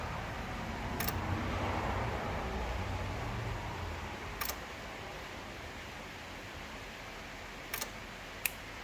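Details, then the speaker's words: Pre-war Riley Brooklands, engine off, magneto cut off, after fixing fuel line leaks: electric fuel pump ticks crisply about once every five seconds, primed and holding pressure normally. "I think it ticks once every 5 seconds or so"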